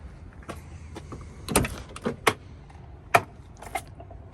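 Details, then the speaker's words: BMW E30 sedan, manual: sharp pops each time the door swings open and closed; broken door check strap (door brake), a common failure, to be replaced and its reinforcement welded. "You hear that popping? This guy right here, very common for that to break. So what we're gonna have to do is change that door brake and weld the reinforcement right in here."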